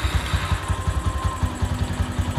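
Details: Honda Megapro motorcycle idling after clutch plate replacement: light regular ticking on each firing pulse from the valve area, which the mechanic suspects comes from a reground camshaft; valve train tick.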